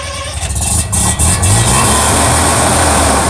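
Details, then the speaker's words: Mazda RX-7 rotary at a car meet fires and settles into a rapid, metallic, choppy brap-like burble over outdoor noise; healthy rotary idle. "There it is. Brap. It's got that nice metallic brap to it."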